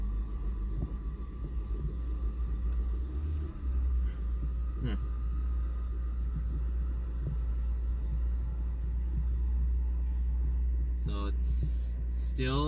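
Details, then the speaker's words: Honda Integra with idle issue and random hard start, idle air control valve suspected, cold start next morning: low, uneven, lumpy idle running rough, like not firing right, possibly spark; cause not pinned down. "rough. It's kind of like it's not firing right, like, you know, spark or something."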